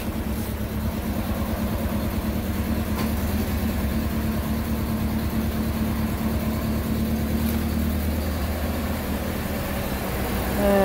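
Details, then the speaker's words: VW Golf/Jetta MK4 1.8T (AGU, cable throttle) idling with a low, slightly shaky, uneven hum right after throttle body replacement and VCDS basic-settings adaptation while idle learns; old throttle body caused actuator codes and erratic warm idle. "let it learn it's a bit shaky on"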